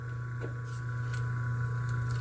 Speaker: E o capacitor já é para compensar nesse atraso, só que com valor bem pequeno ele não consegue compensar o atraso. Aí já dá um pouco já começa a ficar roncando, porque sinal que não está.